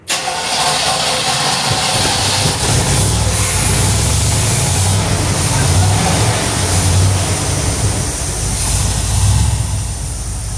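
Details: 1973 Corvette Stingray V8 started after 25 years sitting in a garage; catches and settles into a low, steady idle around 700 rpm with no knocks or misses; normal start and idle.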